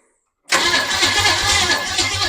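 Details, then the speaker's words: 1929 Model A truck with a replacement engine: the starter spins fast and evenly for two seconds but the engine never catches. The plug wires were fitted in counterclockwise firing rotation, but the engine needs clockwise; cranks but won't start. "we had everything right but none of that matters if we put the plug wires on and get the correct firing order but in a clock counterclockwise rotation like we would normally do"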